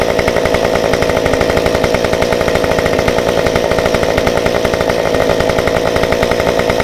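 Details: Stihl 193T climbing saw with muffler mod, limiters removed, ~8–9° timing advance, 93 non-E fuel, 16-inch bar; hot after 5 minutes shut down, rapid even two-stroke buzz held steady with no stumbles or surging; runs normally.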